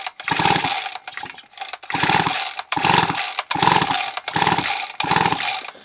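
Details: Barn-find chainsaw with spark plug out and clipped to check spark, with the switch set to run: about six quick ratcheting pull-cord bursts, no firing, engine only turned over by hand; a good blue spark is then seen.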